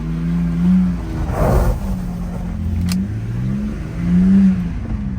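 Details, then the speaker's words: 2006 BMW 325i after a crank sensor fix (sensor was unplugged, new one fitted), driven under hard throttle: it pulls cleanly through two hard revs, pitch climbing and falling smoothly, strong even acceleration with no misfire. "Oh yeah, it goes."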